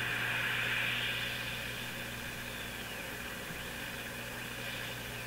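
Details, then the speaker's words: Brand and Millen DR-102U tube radio after paper/wax capacitor replacement, tuned near 771 during alignment: a high heterodyne whistle over low hum slides up and down in pitch, beating against a stray signal in the house. "I hope you can hear the uh the tetrodine tone going up and down. So, that's actually just another signal in my house here."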